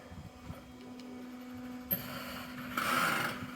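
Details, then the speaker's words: Hunter Horizon 27 sailboat settling aground as the tide drops: quiet hum with rough scraping, grinding bursts as the hull goes down onto the bottom; sounds terrible but is normal grounding at low tide. "you can just see it starting to happen now. Mad, isn't it? Sounds like something really terrible's going on, doesn't it?"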